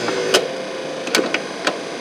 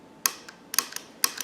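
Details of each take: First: 1970 Cadillac Sedan DeVille wiper motor, reinstalled, not yet connected to wiper arm, switched off: a few sharp mechanical clicks as it settles into park; normal wiper park. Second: Wiper motor from a 1970 Cadillac Sedan DeVille on the bench with nothing running: sharp dry clicks in pairs about every half second; cause undetermined, not heard while running.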